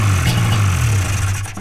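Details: Two-stroke snowmobile at a test-and-tune day, choke off: low steady burble at idle, then cuts out cleanly when the tether is pulled; healthy, passed tech.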